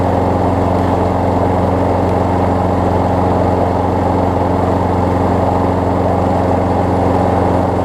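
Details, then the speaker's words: Craftsman six-horsepower front-drive self-propelled push mower after new pull rope, spark plug, air filter, belt refit and lubed self-propel cable: constant, even single-cylinder drone, no surging, sputter or knock; runs healthy, self-propel works as designed. "for the most part it was good considering the condition of the mower the self repel works as designed"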